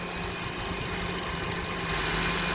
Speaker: I'm going to go start it up. There you go. Quiet as a mouse.